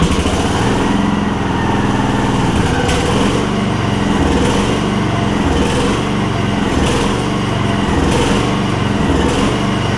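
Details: Gravely 16 Professional walk-behind mower, single-cylinder with mechanical fuel pump, after sitting and fuel delivery troubleshooting, choke pulled: runs steady and even at fast idle without stumbling, fuel reaching the carb again; normal running.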